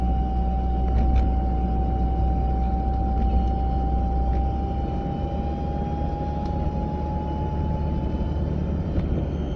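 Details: A 940 at a steady 30 to 40 mph: a thin constant whine above road rumble creeps slightly higher in pitch, heard from the passenger side; the source is still unknown.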